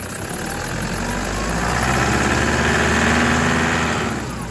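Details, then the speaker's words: 2008 Toyota Prado 120 1KD diesel with brand-new engine, turbo and injectors, stone cold (about 5°C), one minute after start: steady rattly clatter around four knocks a second that swells then settles; normal until warmed above 83 degrees. "We'll give it 1 minute to warm up and then I'll give it some gentle revs just to let you know some of the sounds you can expect to come from the engine when it's absolutely stone cold and it's only been running for about a minute."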